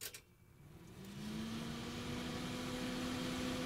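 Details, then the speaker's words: Computer power supply fan powered on its own from a bench supply, red to red and black to black: it spins up to a steady, even hum with smooth air noise and no bearing growl. A normal fan run. "That's how it's supposed to sound. That pulsing, was it not making connection there for a moment? That sounds nice. That's just air. Air noise."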